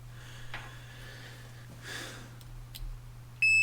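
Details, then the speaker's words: Triumph Trophy 1200 relay, bench-tested with a charger supply and buzz box: a few faint crisp ticks as the relay switches, then a steady buzz showing continuity across the contacts; relay works normally. "They have a supply function. And we heard that tick."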